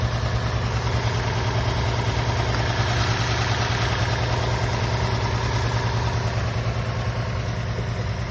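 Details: Toyota 3.5 L 2GR-FSE V6 at idle: steady idle with a dull, regular tap under the exhaust beat; engine knock at idle, cause unknown.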